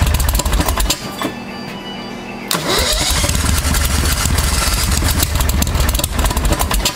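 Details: 1992 Club Car golf cart with a Briggs V-twin swap, after replacing the shattered stock driven clutch with a CVTech unit, sat six months: uneven cranking churns and pauses, then a lumpy run; hard starting after sitting.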